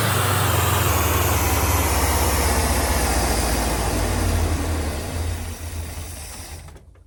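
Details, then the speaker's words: 1979 Ford Econoline 350 with 460 big-block V8, sat for a long time, no start with no spark and no fuel: runs at a fast even rumble after fuel pump primed, then revs sag and it dies as fuel runs short; fuel looks dirty. "Heck yeah. Awesome. So as you can see, we were able to get the fuel pump primed."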